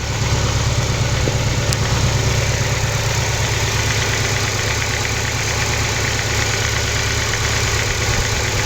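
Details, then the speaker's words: Nissan 240SX S14 KA24DE after removing one timing chain guide: steady even idle just under 1,000 rpm, smooth low pulse, no clear chain rattle, idle still settling; normal idle after the fix. "All right, so we're at just under 1,000. I mean, you guys can definitely notice a difference on camera too, I'm sure. Can't honestly hear anything."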